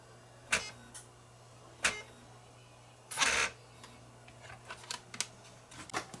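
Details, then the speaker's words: Broken free DVD recorder with a disc clamp fitted, trying a regular CD. A few dry clicks and one whir under a second, then the disc never spins up. Owner suspects a bad laser pickup rather than capacitors. "And now see if it will do anything. That wasn't much of a spin."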